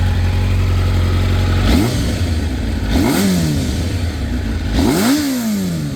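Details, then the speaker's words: 1986 Kawasaki Ninja 1000R, a garage-kept find revived with a new 30 A main fuse. Low steady idle, then three quick throttle blips that rise and fall back cleanly; the engine runs well. "I mean, that thing fires just as good as my V65 Sabre. And it runs just as good."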